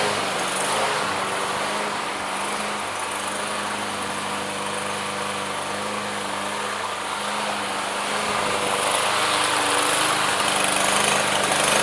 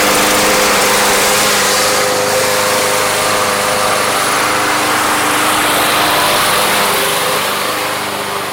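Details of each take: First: Yard Machines lawn mower single-cylinder, barely used, hot start after Seafoam treatment: steady speed, mostly even with slight unevenness, roughness clearing as it runs; rough running smoothing out, cause not confirmed. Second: Yard Machines lawn mower, bought not running and treated with Seafoam, on a hot start: the small engine holds a steady, even buzz with no misses or surging, running cleanly when warm; normal running.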